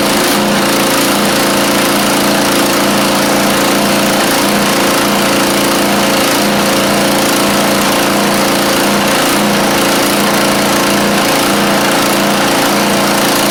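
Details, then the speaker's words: Craftsman YT4000 riding mower with a swapped-in replacement engine after the original 24 hp Briggs ran low on oil. It runs steadily but sags in a regular dip about once a second, a lumpy idle set too low. Debris in the muffler is burning out. "I think uh I need to tighten this up a little bit cuz we got it a little bit too low on the idle."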